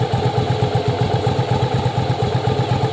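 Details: Yamaha Virago V-twin, parts-bike restore/rebuild for a cafe build, idling; strobe shows rear cylinder firing in time: steady, even idle with regular lumpy beat around 160 a minute, no misses or knocks; normal idle.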